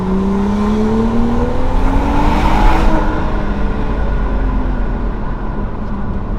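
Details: BMW after replacing the one failed coil pack (problem earlier thought to be spark plugs): smooth pull with engine pitch rising cleanly through the revs and no stumble or misfire; the engine now runs normally.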